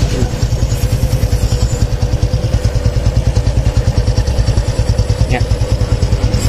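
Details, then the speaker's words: Honda Supra X 125 fuel-injected single after tune-up, air filter not yet fitted, once the cam chain tensioner has filled with oil: even, steady idle with no ticking or chain rattle; normal, quiet idle. "Kalau ini udah lembut lagi, si bagian sulingannya udah terisi penuh oleh oli. Lembut."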